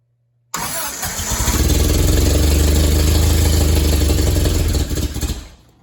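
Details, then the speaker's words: Willys CJ3B fitted with a replacement F-head engine, firing up with the alternator disconnected: fires immediately, then a loud, coarse, pulsing drone for about five seconds before shutting off; loud underneath, exhaust leak suspected but not confirmed. "all right I'm going to mess around with this get it going a little bit better and see if I can find that exhaust Le cuz it's kind of loud underneath"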